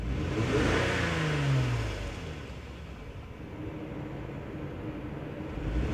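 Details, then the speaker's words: 2003 Lexus GS300 V6, revving: revs climb then sag with uneven stumbling hesitation; scan tool misfire counts point to cylinder 2, possible coil pack, spark plug, wire, injector or intake runner leak; also backfiring at idle. "so as I rev the engine up I do feel that hesitation that misfire"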